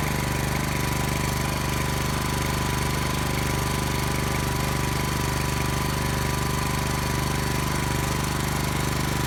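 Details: Brand-new Subaru Robin SP-170 5.7HP engine, first start ever on a stand, 10W-30 oil: steady even single-cylinder putter at constant fast idle, no knocks or misses; running smoothly.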